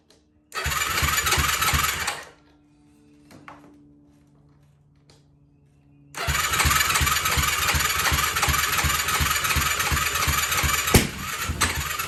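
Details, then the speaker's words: 2004 Yamaha YFZ450 single-cylinder quad with zero compression reading, after cleaning spark plug: catches and runs rough with uneven popping, drops off, then picks up still sputtering; running better than before, cause not found. "and it's spittering and sputtering a little bit but at least it's running this is running better than it has before situation"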